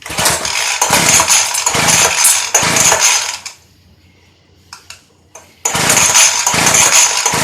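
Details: Early-2000s Craftsman Bushwacker 358.795792 25cc two-stroke hedge trimmer, cold start after new fuel pickup line, air filter and 40:1 fuel: high buzzy revs, cuts to a quiet idle briefly, then picks up again cleanly; runs even and healthy.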